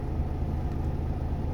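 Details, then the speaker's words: Volvo FM13 Smart Eco 400 hp truck diesel, idle lowered from ~600 rpm: deep, slow, even rumble with steady low pulses, no roughness or stumbling; oil pressure and charging normal; healthy low idle. "เสียงรอบต่ำมากก็ถือว่าโอเคครับผมรอบรอบเครื่องยนต์มาแบบต่ำมากนะ"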